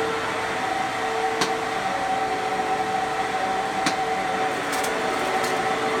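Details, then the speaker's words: Fantom Fury vacuum cleaner (12.0 amp / 10 amp models), good motor: steady smooth high motor whine, constant pitch, no rattle or grinding; normal running. "so that is how a Fanjul Fury should sound if it has a good motor"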